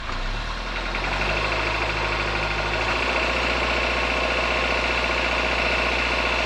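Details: 2021 Suzuki Jimny Sierra JB74, noise since about 15,000 km, continues when warm: engine pulling from low revs with a light, fast metallic rattle over the hum under acceleration; dealer later found the cause and cured it.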